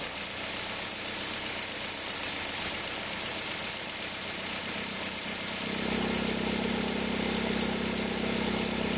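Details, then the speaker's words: 2003 Toyota Corolla, engine cold, noise stops once warm: steady high whirring at idle from the accessory belt tensioner area, resonating through the engine and manifold, louder with reverse engaged and slight throttle; worn belt tensioner bearing. "a gente percebeu que o barulho ficava muito forte na região aqui da correia de acessórios, porque o barulho dá ressonância no motor inteiro, dá até aqui no coletor, né?"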